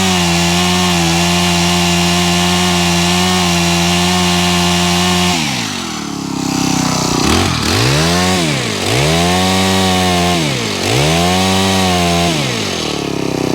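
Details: Honda HHH25 4-stroke hedge trimmer, formerly bogging, after carb tuning and a new fuel filter; steady high idle, then crisp blips rising and falling about three seconds apart, picking up cleanly without bogging; normal running.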